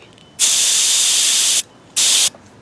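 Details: Master Airbrush TC-40T compressor driving a Paasche airbrush through a new adapter, regulator backed off from 60 to about 35 psi: two clean bursts of even, high hiss, one long and one short, with no sputter or pulsing; the airbrush sprays normally.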